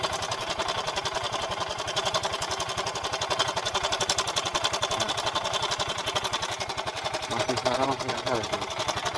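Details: Yamaha Mio M3 125 scooter, rough-sounding engine, CVT checked fine: rough idle with fast uneven metallic "ceklek" rattle; tensioner found soft, slack cam chain causing the roughness.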